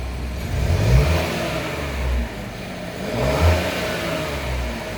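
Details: Buick Encore GX / Chevy Trailblazer 1.3 turbo after installing K&N air filter: small engine blips up a couple of times, settles cleanly to idle with a bit more intake sound; normal rev.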